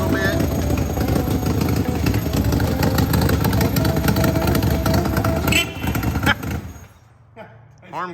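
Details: Suzuki Samurai with a swapped 1.6L 16-valve engine, O2 sensor not yet fitted, MAF unplugged and intake unfinished, timing probably needing tuning: an uneven, lumpy idle at about three beats a second, then shutoff; rough idle.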